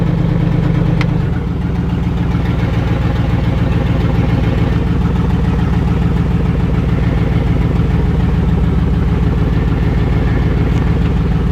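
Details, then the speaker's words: LS V8-swapped rear-wheel-drive Celica GT-SS on its first start in the car, moving under its own power: steady, even, deep lumpy V8 idle with no knocks or misses; no oil leaks, smoke or fire, running healthy. "it's a success it's alive it moved no trails oil no smoke no fire yay"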